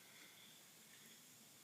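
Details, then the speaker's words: 2006 Honda Civic AC system charged with a little refrigerant through the low-pressure line: faint steady high hiss of gas escaping at the front of the condenser, locating the leak before condenser replacement. "close this off so it seals it and we're going to walk around to the condenser see if we can hear it hissing out sure enough right there right there at the front of the condenser"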